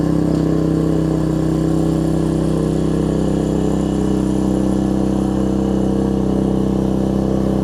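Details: Troy-Bilt Tuffy rear-tine tiller, 4 hp Briggs single, after fitting replacement carburetor with linkage and spacer, quarter tank of gas: smooth, steady, even speed, no surging or misfire, carburetor now feeding properly; normal running after repair.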